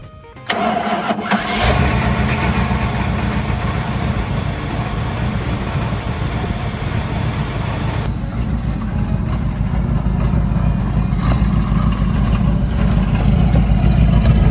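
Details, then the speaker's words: 1980 Dodge Power Wagon W300 1-ton 4x4 V8 revived after sitting for years, started after fuel refill: cranks briefly, catches and settles into a steady, deep idle without misses or dying; running normally. "All right, it's running pretty good now."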